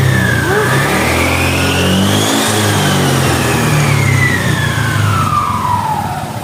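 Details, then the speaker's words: Scooter after CVT service (clutch shoes replaced, pulley greased with heat-resistant grease): smooth rev climbing and falling, clean drive whine, no belt slap or clutch judder; very smooth, CVT healthy. "Anjay, halus banget guys. Halus banget cuy ya."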